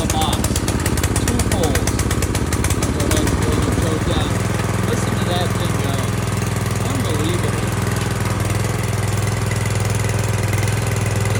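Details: Brand-new Harbor Freight Predator engine just swapped onto a rear tine tiller, first start with closed choke: a few uneven pulls and catches, then a steady, even low chug with no knocks or misses; running fine.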